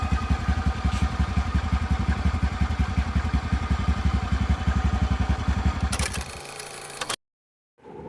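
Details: TVS Ntorq scooter engine at an even, steady idle with a low beat and no ticking or khat-khat clatter, then switched off; sounds healthy, a normal idle.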